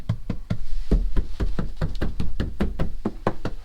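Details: C5 Corvette body panel after budget sound deadening, applied in a garage at about 45–50°F: knuckle raps give short, dull thuds with no ring afterward, the tinny resonance damped out.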